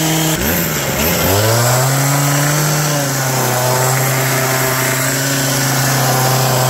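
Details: Old two-stroke hedge trimmer revived with on-hand parts, new cut air filter fitted, mixture screws not yet reset, cutting bush: revs climb quickly then hold steady high drone without stumbling; noisy, vibrates a lot, dull blade, pulling cleanly.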